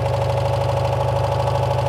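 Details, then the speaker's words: 1985 Citroen 2CV6 Special two-cylinder barn find, just revived after long storage with oil put down the bores: steady, even putter with regular firing beat, no misses or knocks; idles cleanly and smoothly. "that sounds really nice yeah it does sound sweet doesn't it we finally got it got it going well done"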